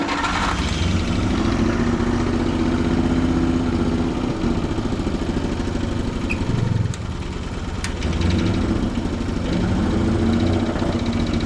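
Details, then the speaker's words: Antique tractor gasoline pony start motor just after a flooded start: catches and runs unevenly, pulsing and stumbling, struggling to settle into a steady run. Hard starting, rough running. "Come on. Man. This thing is gonna be fussy. This might take longer than expected, guys."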